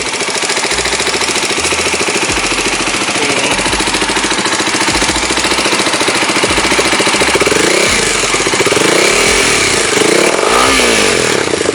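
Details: Kawasaki Ninja 250 SL Mono (KLX 250 engine), ran out of oil: harsh metallic clatter from the cylinder head, steady with engine speed, heard with exhaust blocked; tensioner checked fine; camshaft and cam journal wear.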